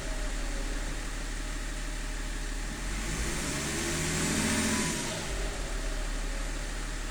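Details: BMW E39: idle stumbles and pulses unevenly three or four times a second, with a short throttle blip midway; rough idle.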